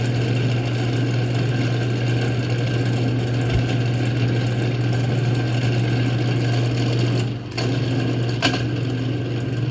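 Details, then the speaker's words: Antique Manning Bowman table fan from Goodwill, oscillator not working, before service: a steady low buzzing drone with rattly resonance, which the owner places at the motor's front bearing and shaft sleeve. "sounds like a lot of the den a lot of the den a lot of the resonation is coming from the front bearing of the motor"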